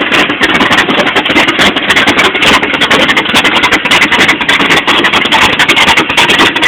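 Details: '86 Chevy short bed V8 with Comp Cams Extreme Energy camshaft, flat top pistons, cast iron 2.02/1.60 heads; uneven loping idle, about three or four stumbling pulses a second; rough idle.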